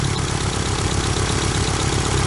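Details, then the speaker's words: Nissan 200SX S12 CA18ET at idle with a lumpy, stumbling intermittent misfire seemingly on one cylinder; owner suspects a stuck or clogged injector but can't rule out wiring; now far more intermittent than before. "so you can tell it's now way more intermittent than it was"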